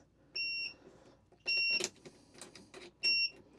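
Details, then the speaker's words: 12V rooftop RV air conditioner powering up right after connecting a Renogy 300Ah LiFePO4 battery, positive then negative: three short high-pitched beeps with faint clicks between them, a normal power-on. "I hear the AC clicking and beeping. So, we'll go check on it here in a second."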